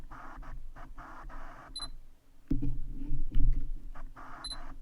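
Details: New Sony G-Master 85mm f/1.4 lens in a quiet room; faint repeated buzzy whirs and ticks every second or so while autofocusing at any aperture, abnormal focus motor noise, owner unsure if faulty or firmware.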